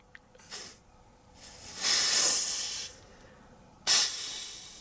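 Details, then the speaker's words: Carbed Toyota 2T-G Celica cooling-system rebuild, engine off; a sharp steady hiss bursts as air pressure is gently applied through a non-reinforced hose to a pressure sender under test, then air leaks out where it is applied. Compressed air leak. "So all the way up to where it will just leak out where I'm applying it."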